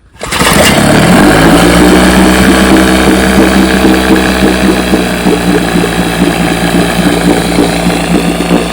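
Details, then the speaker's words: Fully restored 1958 Johnson 7.5 hp two-stroke outboard, barrel test without silencer fitted: starts right away, then settles into a steady even putter with no misses or surging; smooth healthy normal idle, sweet purr. "so I've been running her she runs great let me give her a start here see how she runs"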